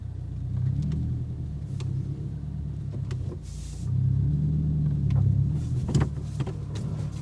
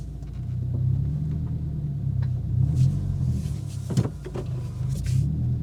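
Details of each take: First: 2022 Subaru WRX driven with both front sway bar end links removed, including a full-lock U-turn: steady low road rumble with only faint scattered taps, no clunks; quiet suspension implicating the end links as the clunk source. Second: 2022 Subaru WRX at full steering lock, slow turn: low engine rumble broken by a sharp single clunk from front suspension; sway bar end link clunk.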